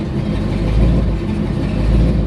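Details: Newly LS-swapped Regal, tune set to closed loop (self-learn); deep, steady V8 rumble at a lower idle with a slight slow swell in level, the idle having dropped after the high start-up idle.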